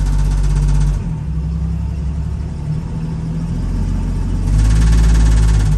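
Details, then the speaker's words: 1975 Jeep DJ5-D postal jeep: idle rumble swells into heavy buzzing, unevenly pulsing drone under load, heard reversing uphill; owner suspects vibrating muffler, source unconfirmed. "Well, it sounds like it's running okay. But here's where it might make the noise."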